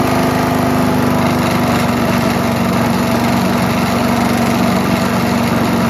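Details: Mighty Mac wood chipper/leaf shredder, single-cylinder, just restarted after choke flap replacement: steady busy drone with shaking buzz underneath; violent excessive vibration while running, cause suspected, not confirmed.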